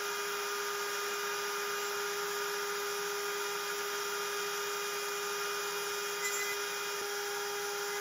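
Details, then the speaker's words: Genmitsu 3030 PROVer MAX desktop CNC cutting aluminum with a 1.25 HP Makita router instead of the 300 W spindle: steady high whine at one even pitch, no vibration; smooth cutting, cleaner result. "it sounds much better I can't hear the vibration anymore the cut looks much cleaner"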